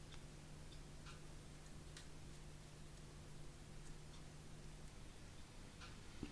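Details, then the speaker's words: Engl Thunder 50 tube amp after repair of squeal, buzz and hum, new low-noise tube in V1, nothing plugged in, all knobs up: only a faint low hum, light hiss and the odd tiny tick; quiet and healthy. "well you hear nothing right okay just a little hiss and that's it this repair was successful"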